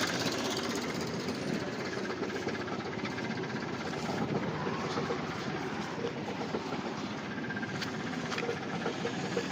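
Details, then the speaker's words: SAAB 9000 abandoned five years, first start with new battery and spark plugs: rough, uneven choppy chug that sags as if about to die, engine shaking badly; owner suspects misfiring, cause unclear. "maybe just misfiring the engine's shaking pretty bad and it's starting to"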